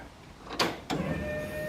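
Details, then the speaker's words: Foxbody Mustang drift notchback, first key-on after full custom rewiring and Holley Terminator X EFI install: two clicks then a thin steady whine for about a second as the fuel pump primes; air/fuel gauge came on, normal priming. "alright, so primed. The air far gauge came on."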